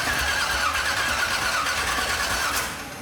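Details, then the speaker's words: Cadillac hearse, freshly swapped replacement motor, electronic choke: steady starter cranking about three beats a second that never catches despite plenty of fuel; distributor installed 180 degrees out, found via number one plug compression check; crank no start. "The new motor won't fire. >> No, it's getting plenty of fuel, dude."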